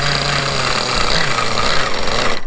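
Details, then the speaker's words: Vintage 1/5 scale Victory Hawk nitro RC motorcycle, first start after 10 years, rotostarter, switched glow plug, bike upside down on stand: tiny two-stroke fires first try and buzzes high and steady; runs healthy. "worked at the first try."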